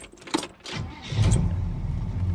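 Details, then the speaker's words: Bagged 1965 Cadillac that used to be hard to start, being restarted after repairs from breaking down on a cruise: it catches almost immediately and settles into an even run. Normal start. "listen to that listen to that that's beautiful"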